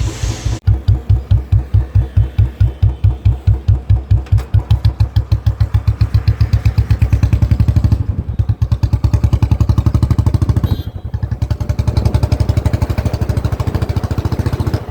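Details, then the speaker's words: Royal Enfield Bullet single after tick-tick noise fix and sound setting: slow, even thump at idle around 140 beats a minute, no top-end ticking, machinery audible nearby; engine noise gone, idle healthy. "देखो अगर engine की noise check करनी हो ना तो इस पे हाथ रख लेना और फिर सुनना। कुछ भी नॉइस नहीं आएगी आपको इंजन की। कुछ भी नहीं आ रही।"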